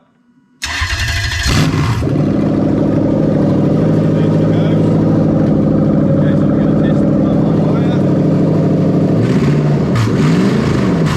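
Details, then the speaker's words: Toyota Crown 3UZ-FE VVT-i V8 with rebuilt engine harness for a 6-speed automatic, run with no exhaust: quick crank, clean catch, then a loud, steady, even idle with no misses; normal start and idle. "now she is very loud obviously she's got no exhaust on her"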